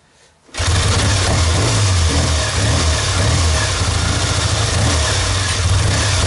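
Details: 1969 Triumph Daytona T100R 500 parallel twin, just fitted with Wassell (Vape) electronic ignition, barely warm, no choke: fires instantly and settles into an even, strong beat with crisp throttle blips; starting and running are healthy.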